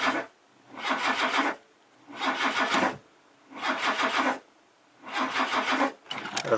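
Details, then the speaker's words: Classic Mazda sitting over 10 years, first start attempt: four roughly one-second cranking bursts with quick starter chatter, it wants to fire but never catches into a run; cranks, won't start, motor suspected unhealthy. "sound good well either way it did want to fire but um it really doesn't matter i suppose"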